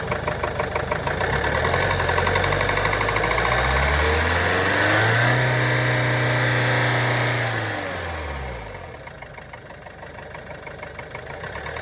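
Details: Range Rover Velar 2.0 D240 Ingenium diesel at idle: a steady quick top-end tapping/knocking that goes away when revving, with the engine warning light on. Cause not yet found.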